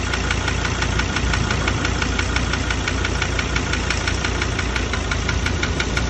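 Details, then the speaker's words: 2017 Ford Ranger diesel, 67,000 km, no power loss or oil use: regular sharp ticks near 176 a minute over a rumbling idle; knocking suspected to be an injector or the engine itself, not confirmed. "mas eu diria que esse barulho é bico. Ou motor mesmo. Ele falou, ó, o motor não perdeu força, não deu uso do óleo, mas tem esse barulho feio aí."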